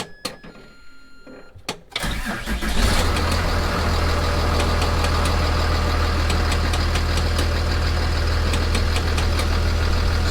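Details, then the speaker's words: 2008 Freightliner MT-45 with 6.7 ISB Cummins cranks and settles into idle, with a very loud fast clicking of about four per second from the disconnected vent mix (blend door) actuator. "So this is the only one that's actually, that clicking noise, that's what I was talking about. And it's very loud."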